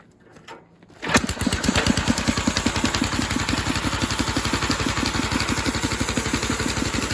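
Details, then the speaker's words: Gas air compressor conversion, old 8 hp Briggs engine about 3,400 rpm, 4.5-inch pulley, Rol-Air K30 pump about 900 rpm, idle-down unloader on throttle: starts after a second, settles into steady even idle; runs healthy. "So that's idled down. Let me let some air out and it'll pump out. Yeah, seems pretty good."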